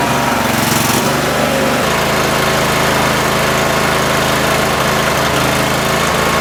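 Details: Cub Cadet lawn tractor that runs fine for a minute, then loses power: an uneven, loping putter with irregular drop-outs and a shift in rhythm. Owner suspects a bad coil after finding one wet plug, or the fuel solenoid; carb rebuild planned.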